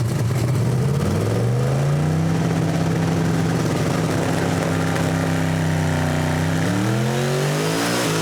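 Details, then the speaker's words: Camaro with an almost 2,000 hp engine, timing cut by 6 degrees and some boost added: deep engine note climbs steadily under full throttle through a gear change, pulling cleanly without misfire or stumble before an early lift; normal full-throttle pull. "Going pretty fast. I actually lifted early."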